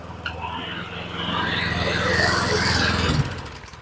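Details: John Deere JS20 mower that wouldn't move due to a jumped drive belt, old belt still fitted: the engine throbs evenly, then rises and pulls as the drive engages more; it runs and drives.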